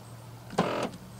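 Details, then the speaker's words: 2013 Volkswagen Jetta, lock/unlock: short quarter-second buzzing grind from what sounds like the right rear door instead of a clean click; fault confirmed by OBD scan, failing door lock actuator. "that noise alright pretty sure that's coming from the right rear all right that's where the noise sounds"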